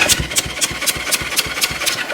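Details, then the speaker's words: 1974 Honda CL450 twin, sitting since 1999 (25 years), spark plugs out for a thumb compression test on a jump box: even cranking with regular puffs about four per second, no hesitation; compression sounds good. "yeah that sounds pretty good that sounds pretty good I don't know about you guys but that sounded like at least that much compression"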